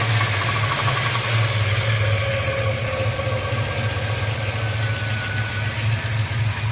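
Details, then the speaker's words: Chevelle with turbocharged 5.3 V8, warm, light cruise around 2,000 rpm with a little throttle: steady engine drone with a faint uneven metallic rattle on top, source unknown. Runs, starts and pulls at wide-open throttle without power loss. "uh the chevel 5.3 turbo the engine is making a weird rattling sound and I have no idea where it's coming from"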